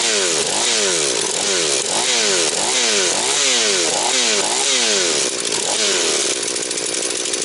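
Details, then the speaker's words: Husqvarna 240 chainsaw, mixture leaned to 2 and 1.75 turns, idle raised: snaps to high scream and drops cleanly to idle repeatedly, no hanging revs, no air leak. Normal running. "Ну що вам скажу Люкс пішла як годинничок значить набір обертів скид швидкий Все як має бути підсмоктування повітря нема Ну думаю буде працювати"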